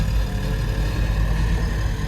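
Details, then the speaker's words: Develon DX225LC-7 excavator being checked for a squeak, slew ring tested: engine rumbles low and steady, with no squeak or creak from the boom or slew. The squeak has gone. "We might do it all the way around just in case there's a bad spot on the slew ring. The squeak has gone. Nothing there."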